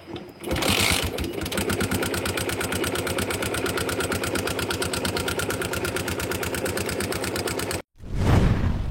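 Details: Yamaha engine reported overheating quickly, smoking when revved and ticking: quick, evenly spaced ticking about eight times a second over the idle, sharp top-end clatter from a loose rocker with excess valve gap.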